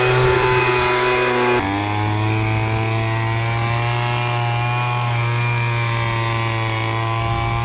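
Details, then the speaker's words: MTD Bolens BL125 two-stroke leaf blower after carburetor repair and adjustment, previously bogging and not starting: strong steady buzz that dips once then holds firm under throttle with no bogging or stalling; running healthy. "okay we but started up now put it on run you guys can [Applause] hear it's running perfect now let's try her out"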